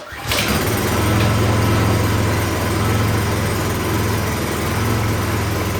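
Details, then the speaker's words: 26-inch Troy-Bilt snowblower with fresh gas and good oil, primed and on full choke; starts and holds a rough, uneven idle but dies as soon as it is taken off choke, pointing to a carburetor problem. "well it runs but it died right after he took it off choke [Laughter] all right so that tells me something is going on in the carburetor because it's only running on full choke"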